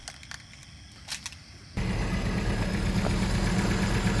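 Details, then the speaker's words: 50-year-old Datsun 620 petrol engine just restarted after head gasket replaced and head refitted, some stripped adjuster threads: catches and idles with a slightly uneven, stumbling beat; mild misfire. "It's not quite running as smooth as it should, because you can hear a bit of a misfire."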